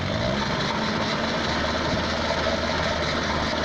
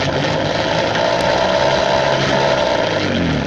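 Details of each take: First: Peugeot pedal moped two-stroke, laid up since 1997, restarted: quiet, even idle, no hunting or dying; runs properly. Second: Peugeot pedal moped, laid up since 1997, on old fuel with a split fuel line found: raspy two-stroke buzz catches a few seconds, wavers unevenly, then sags away; fires but won't keep running, cause unconfirmed.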